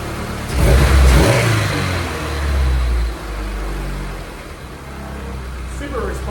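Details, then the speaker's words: First start and run of Dillon's F24 new engine (AC removed, shorter belt fitted) while burping coolant: revs rise and fall cleanly with quick throttle response, settling to smooth idle; no leaks, sounds healthy. "oh she's running guys worked out but everything sounds good no leaks motor sounds great super responsive"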